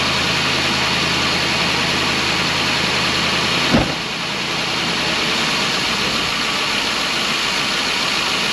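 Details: 2012 Ford E350 van, about 170,000 miles, after replacing a coolant-leaking intake manifold that caused intermittent misfire: steady even idle with smooth hum and no misfire stumble or ticking beyond one brief bump; a momentary cylinder misfire went away.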